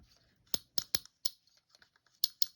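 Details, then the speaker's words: Lew's Speed Cast (Zebco Z-1 clone) spincast reel after service and reassembly, line removed: crisp high ticks in short bursts as drag slips, clean with no scraping; clicker works properly at any drag setting. "now no matter where you adjust this you're going to have the proper clicker on the drag whether you adjust it light"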